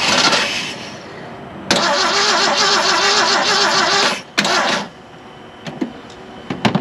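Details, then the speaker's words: Classic Ford F-150 with 300 inline-six and electronic ignition, first start after sitting about 29 years: cranks, catches and runs a few seconds with an uneven idle, one cylinder suspect, good oil pressure, then brief restart attempts; started easier than expected. "it started a lot easier than i thought it would i love these 300s"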